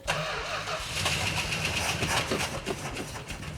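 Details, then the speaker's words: Petty Blue code 999 Superbird, choke opened before starting: brief quick crank, then the engine catches cleanly and settles into a lumpy, even idle; starts fine. "I got big faith in this thing 15 years and it'll start on the first"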